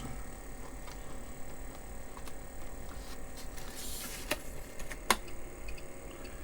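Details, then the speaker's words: Apple II Plus Disk II floppy drive after cleaning and servicing, booting ProDOS: quiet irregular head-stepping ticks and sharp clicks over faint hum; normal stepping, though owner wants to grease the head positioning mechanism. "can hear the head stepping and and it's starting up Protoss"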